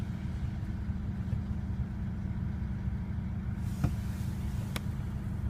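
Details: 2001 Mercedes W210 E220 CDI diesel: low idle with an uneven, lumpy beat and a couple of sharp ticks; engine idling rough, cause not yet known.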